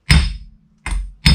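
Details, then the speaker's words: 1989 Mercedes W124 300CE front hub, new chilled wheel bearing race being hammered in: three firm, dead taps with no hollow ring, the changed sound showing the race is fully seated. "Again, you can hear the sound change. So I just tap it around and make sure it's all seated."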